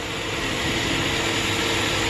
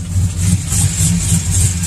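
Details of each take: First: GM V8 truck with long-tube headers, stall converter and new pushrods, after repair work on both sides: steady, even roar with no misses or ticks; the engine runs smooth and healthy. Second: V8 truck with long tube headers, cam and pushrods idles steadily with a sharp, even slow rhythmic tick about three a second, worse on passenger side; exhaust manifold/header gasket leak, tick gets louder under load.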